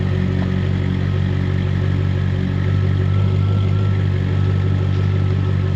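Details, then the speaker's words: Jaguar XK8 V8, just revived from a no-crank, no-start condition with many error messages, battery at 12.8 V. A deep, steady burble at an even idle with no misses, knocks or ticks; sounds healthy. "I'm just so pleased right now that it's working."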